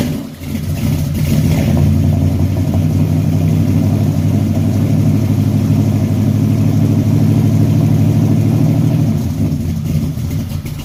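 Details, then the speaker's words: 1974 Chevy Caprice V8 after tune-up, cold start: steady, even idle with smooth low rumble and no miss; an earlier exhaust-audible misfire was cured by adjusting the valves. "once I got the fooling around with these valves um shoot everything got to working like it's supposed to"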